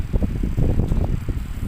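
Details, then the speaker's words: Rear AC blower of a Starex/Mitsubishi L300 after its dried-out bearing holes were greased: a soft, low whoosh of air at middle speed, with no squeal or rattle, now quiet instead of noisy. "tahimik na na siya Hindi na siya maingay"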